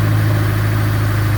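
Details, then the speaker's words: 2004 Honda S2000 after rod bearing replacement with the engine left in the car, jump-started first fire-up: steady, smooth petrol idle with an even low hum and the previous rod knock gone. "But we put the jump box on there and fired it up, and now, as you can hear, no rod knock."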